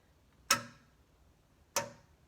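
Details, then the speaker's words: 2005 Ford F-150: loose bed cover strap, blown by wind, taps the side of the truck bed with sharp, bright metallic ticks about a second apart, heard as a ticking seemingly from under the cab. "And when I tapped it against the side of the box, that I'm sure is the sound that I'm hearing up inside the cab, the ticking sound."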